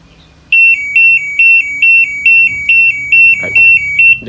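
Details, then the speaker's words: LG washing machine control board (PCB) on the test bench: eleven even high-pitched beeps, about two per second, as an error code appears while the water-level sensor hose is pressurised by mouth. "බලන්න ඔයාලට දැන් error code එකක් ආවා."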